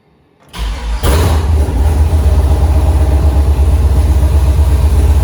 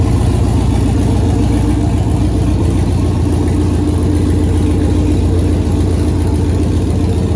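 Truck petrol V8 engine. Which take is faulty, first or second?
first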